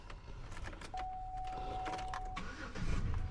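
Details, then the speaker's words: 2006 Buick Rendezvous crank-no-start after powering the ignition coil with a jumper: dash chime, short crank, then prompt catch into smooth even idle; coil ground fault still to be found. "and the car started right up see that car is running so now we just got to find that ground"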